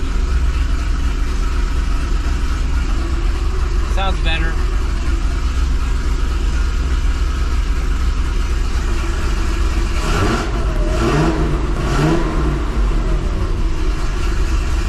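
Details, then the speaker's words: 2005 Chevrolet Corvette V8 with 2" headers at first startup after welding new V-band flanges and replacing the driver-side exhaust manifold gasket: deep steady idle with throttle blips, no obvious ticking; exhaust leak mostly gone, slight leak possibly remaining, perhaps passenger side. "it seemed like some of the exhaust leak was gone there still might be a little bit there"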